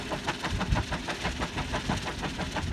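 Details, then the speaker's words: Bergey 10 kW wind turbine on its tower, blades turning: steady rhythmic whooshing pulse about three times a second; owner suspects a loose corner of leading-edge blade tape, not confirmed. "that noise is probably caused by a loose piece of tape you can believe that those blades are going 160 miles an hour a loose piece of tape sounds like a freight train"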